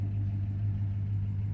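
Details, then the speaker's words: 1969 Dodge Dart GT V8 after nearly 12 years sitting, new carburetor fitted, just started easily in about 105°F heat and idling: smooth, even low rumble with no knocks or misses. "Yeah, starts up pretty easy."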